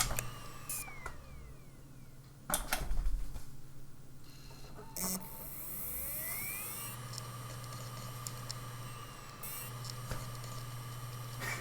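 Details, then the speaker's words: Mechanical hard drive from a PC, connected for testing: clicks, then a faint whine climbing slowly to a steady hum; the drive struggles to spin up. "écoutez moi ça écoutez moi ça il a un peu de mal à se lancer vous trouvez pas"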